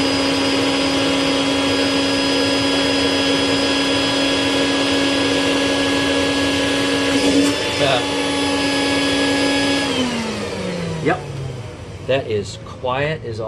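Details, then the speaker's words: Rainbow Mate vacuum accessory after teardown and refurbishment; it previously screeched and had a dirty, stiff brush roll. Steady high motor whine with even tone, no screech or rubbing, then a smooth spin-down; it now runs perfectly quiet. "get-out probably make some noise but I can't hear it over the b2 gold but that thing is just perfectly quiet no more weird noises"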